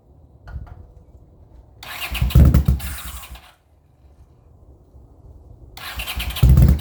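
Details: 40-year-old Honda GL500 motorcycle on first start after rebuild, fed from a temporary gas bottle: two short cranking bursts that each catch briefly and die, with quiet between. It fires on starting fluid, so it's starved of fuel.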